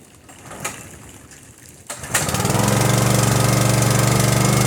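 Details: Engine start, synthetic oil checked full; quiet clicks, then it catches within a pull and settles straight into an even, steady idle with no misses; normal start and idle.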